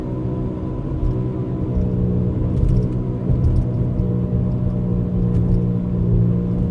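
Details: 2004 Buick Rendezvous driving with a loud, heavy, steady low rumble and droning hum in the cabin; the noise only goes away when the wheel is turned left.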